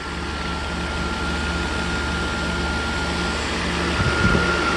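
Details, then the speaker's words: Mercedes W140 S600 coupe V12 after new belt, idler and tensioner pulleys, around 81 degrees with AC on: smooth, even idle with a steady low hum and no squeal, chirp or rattle from the belt area; engine noises gone. "Now, no more noises from the engine, as you can hear it."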